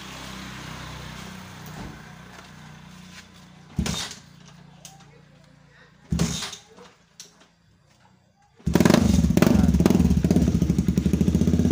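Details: Honda CB150R single after replacing the CDI stator coil (spul) for stalling and draining new battery, regulator socket connected: settles into steady even idle with regular beat; charging and running normal.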